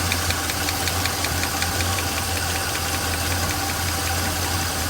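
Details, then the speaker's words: Small-block Chevrolet 350 valve adjustment, engine idling: one rocker deliberately backed off produces a sharp, fast ticking clatter in time with the engine, from excess valve lash; it is then tightened until quiet plus three-quarter turn. "i'm going to back it out that we hear this thing on this end start clattering and you'll hear it and then we're going to go back in we're going to tighten that down until that fighter stops"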